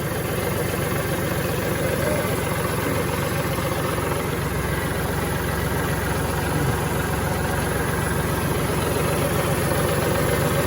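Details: Kubota tractor diesel that wouldn't crank despite power and good fuses, now running after a jumper wire bypassed the weak ignition/start switch: steady, even clatter at idle, no misses, knocks or surging; idles normally.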